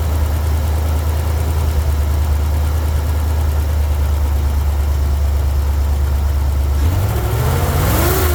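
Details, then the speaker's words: Jeep CJ7 with lumpy idle and a steady stumble, then a brief rev; misfire traced to one cylinder whose plug wire disconnect makes no change, plug to be pulled, cleaned and gapped; cylinder misfire. "It seems to be coming from one of the spark plugs. Alright, so I know that the misfire is coming from this cylinder right here."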